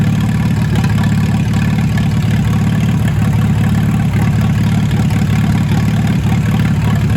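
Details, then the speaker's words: Old "Minnie" tractor engine running without a muffler after repair, good oil pressure, not charging; loud, steady, even open-exhaust chug at low speed with no knocks or misses, normal running. "i love the sound of this tractor let me let you hear it"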